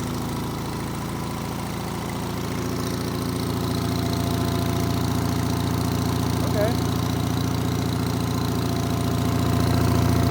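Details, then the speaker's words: Onan engine on a Davis/Case trencher after a quarter-turn adjustment: steady running with even thump about 3.5 per second and a light knock on it while backing up; cause unknown. "back it up yeah little bit of a knocking noise but we'll ignore that"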